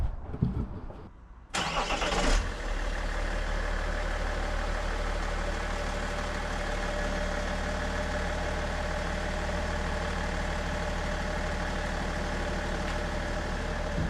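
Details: BMW E46 330d diesel starting after fitting a scrapyard electric cooling fan to replace the non-working mechanical fan: cranks, catches and settles to a steady, slightly loud idle with no fan scraping or contact noise; healthy start.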